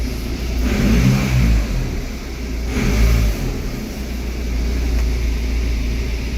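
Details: Audi A4 B7 running after a water-damage no-start/no ECU communication fix: deep engine note swells and falls through two smooth revs, then settles into an even drone; pulls cleanly without stumbling or knocking.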